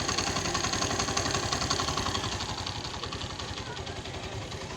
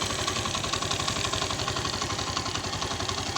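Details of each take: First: Suzuki GS150 after engine rebuild with new piston and rings: small single putters at an even quick idle, no ticking or rattle; only slight tappet sound, tappets to be adjusted after a week, slight gearbox noise. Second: Suzuki GS 150 single-cylinder just rebuilt with new rings and piston, idling with light quick tappet ticking and slight gearbox noise; tappets to be adjusted after about a week of running-in.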